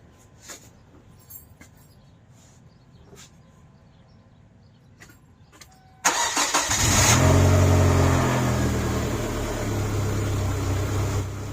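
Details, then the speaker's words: 1999 Kia Sportage after fan belt replacement and retensioning for overheating: clean start and steady even idle with no squeal, whine or belt bounce; normal start and idle. "again and there's no squealing no whining the belt's not bouncing so i think that is a good tension for it seems to be happy now"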